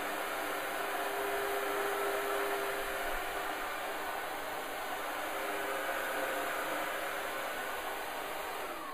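A smooth, steady, even hiss with no knocks or pulsing, just a quiet upright vacuum running normally on carpet.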